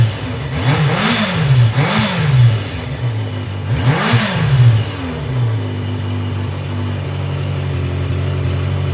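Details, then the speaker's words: 1982 Yamaha Maxim 750 motorcycle after ignition switch repair: three quick clean throttle blips then smooth steady idle; engine fires right up and runs healthy. "So, that all works. Perfect. Fired right up. Great."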